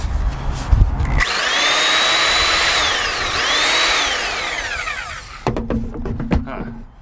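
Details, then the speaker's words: Rockwell saw recovered from a river, running after its switch was taken apart and repaired: steady high-pitched buzz swelling and dipping with the trigger, no knocks or grinding; it works. "one sounds like it's going faster oh well whatever alright well there you have it it works"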